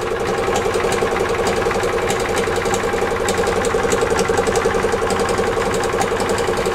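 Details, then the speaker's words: 1996/1999 EZGO TXT gas golf cart, hard starting, power loss, rattle: engine runs evenly with sharp metallic clatter about four times a second; clutch suspected, possibly starter-generator bearings or internal fault, starter-generator belt needs adjusting. "Either the clutch is starting to fail, the bearings in the starter generator are starting to fail, or there's another problem internally on the engine. That's what that clanking noise is. It sounds like the clutch."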